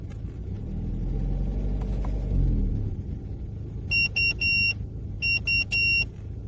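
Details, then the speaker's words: Opel Omega B with a 4th-generation propane-butane LPG system: the engine rumbles steadily, then sharp high beeps sound as it drops into emergency mode instead of switching to gas, though the gauge shows at least half a tank. "Lorsque vous essayez de l'allumer, il passe en mode d'urgence, comme s'il n'y avait pas de gaz, même si l'indicateur indique qu'il y a au moins la moitié du réservoir."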